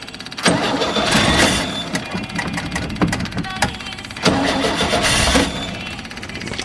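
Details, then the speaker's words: Cold start of an RV motorhome engine dormant over 20 years, with rebuilt 1-barrel Rochester carb (owner suspects still dirty) and an electric fuel pump. Gas poured into the carb, in neutral. Catches, stumbles and fades, restarts only with throttle and choke; hard cold start. "pour a little gas in the carburetor because it's cold fired up neutral oh yeah that is all awesome people this thing's running a little bit and choked open there"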